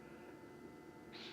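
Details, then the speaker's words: Winnebago Revel Timberline diesel heater running after the pump-silencing upgrade, heard from the bench seat inside the van: only soft fan rush and faint hum, no fuel pump ticking at all. The heater runs quietly. "I can hear the fans, the inside ones, as well as the one in the burner on the outside, but I cannot hear the pump at all. even if I listen carefully, no, nothing. No clicking, no ticking whatsoever."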